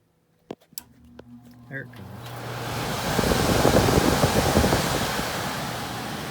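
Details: ICP/Heil heat pump air handler after the blower motor was replaced and the wheel cleaned, following a noise and no-heat call: a couple of relay clicks, then smooth steady rush of air with no rubbing or rattle; normal blower operation.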